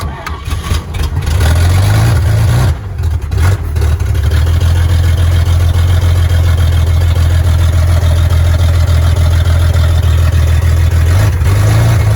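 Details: 1938 Chevy Master Deluxe, chilly Alaska September, started on choke with rebuilt carburetor and starter taken from a 1942 G506: short crank, fires and settles into steady, deep, even idle without knocks, misses or hunting; runs very well, normal idle.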